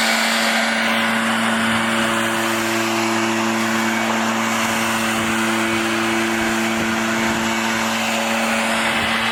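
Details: Echo PB-500T backpack blower after rebuild of burned-up engine and carburetor adjustment: steady, even drone with constant pitch and strong rush of air, no surging or sputter; blower running properly.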